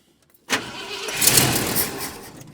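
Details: 1972 Ford F250 camper special, 66k miles, parked since 2007, after rebuilt carburetor and new fuel pump: starter cranks, a few ragged catches then dies; fuel delivery suspected, possibly tank selector switch.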